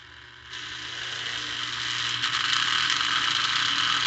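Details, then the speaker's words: Lionel 1948–50s plastic-case Scout motor (#1110 2-4-2) on a test stand after cleaning the brushes and commutator: buzzy high whir climbing smoothly as speed rises; still noisy, normal for this motor, with better slow-speed control. "hey that's pretty good not bad it's still noisy but as we showed with our earlier experiment noise comes with the territory"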